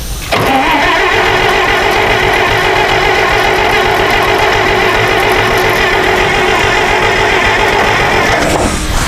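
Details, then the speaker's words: IHC 560 LP (propane) tractor that sat in a shed over 20 years: the starter turns it over evenly for about eight seconds with no firing, cause unconfirmed. "we found that it had spark but it just didn't seem to be getting any fuel up or propane up from the tank"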